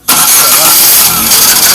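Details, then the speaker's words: Chevrolet Prisma 1.4 Economy Flex cranking: harsh, high-pitched whirring grind from the unlubricated starter motor; fix is to remove, disassemble and lubricate the starter. "esse ruído ele é ocasionado pelo motor de partida é que ele está sem lubrificação isso mesmo vocês têm que tirar o motor de partida desmontá lo"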